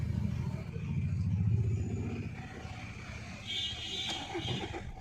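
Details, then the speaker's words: 2011 Maruti Suzuki Swift Dzire diesel, previously no start with immobilizer light blinking; after immobilizer unit repair (diode added), engine cranks briefly, starts cleanly and settles into a steady even idle, service light goes off. "got to record video and here car starts fine start and show you car starts normally service light stays on, now its gone"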